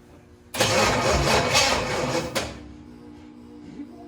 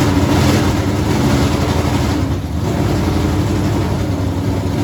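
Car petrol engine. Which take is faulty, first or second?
first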